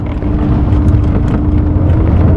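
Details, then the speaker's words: Mazda 929 Turbo coupe limping on road after rock strike, tank drained earlier and fuel level uncertain: steady mid-pitched whine over uneven engine drone; fuel pump noisy again, apparently running out of fuel. "fuel pump's making noise again"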